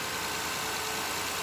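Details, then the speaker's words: Engine (125k) warmed up off cold start after new spark plugs and filter: even, steady, smooth idle with no shake or knock, just a hum under some hiss; idle has dropped and the earlier noise is gone. "okay so it's starting to warm up now and it sounds sounds really good the Idol has gone down because it's you know off the cold start"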